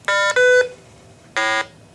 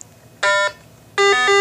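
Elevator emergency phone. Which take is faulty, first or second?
first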